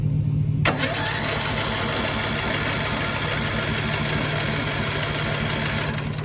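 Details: Cheap broken riding mower with spark, fuel and starting fluid given: the starter churns the engine over at an even, fairly quick pace but it never catches. A bad valve is suspected.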